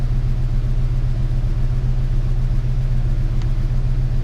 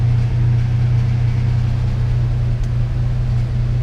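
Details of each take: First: 1998 Ford Ranger 3.0 farm truck (swapped engine) after fix for rough high idle: steady low even idle, no hunting; scan tool shows 880 RPM, idle air solenoid 34%; running better. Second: 1998 Ford Ranger 3.0 (swapped engine) with rough high idle, 1200 rpm vs commanded 800 with idle air solenoid fully closed; steady fast-idle drone, extra air still getting in; smoke test found no leak, PCV and computer swap didn't help.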